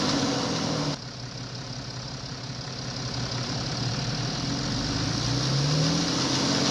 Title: BMW timing chain noise